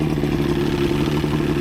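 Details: Outboard boat engine idling after new head gaskets (prior overheat, head leaks), on water hookup: short steady idle, even mechanical clatter, no misses; running smoothly, with a leak noted up top.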